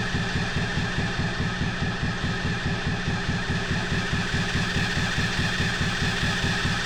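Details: 125cc drift trike engine, forklift-damaged, with battery booster on: even starter cranking for seven seconds with no firing; spark is good but no fuel arrives, and the owners suspect a clogged carburetor.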